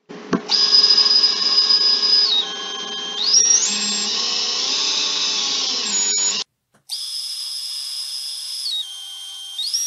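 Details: Three-inch FPV drone motor spun on the bench with props off via the Betaflight motors tab, owner having reported noise and vibration: a clean high-pitched whine stepping smoothly up and down, with no grinding. This motor sounds good.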